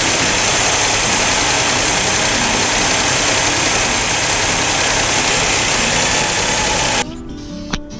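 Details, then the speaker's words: 1964 GMC pickup with 305 V6, running better: loud steady intake hiss as the carburetor draws air freely over an even idle, no stumble or popping; normal idle. "Your carburetor is sucking better. You hear that sucking sound?"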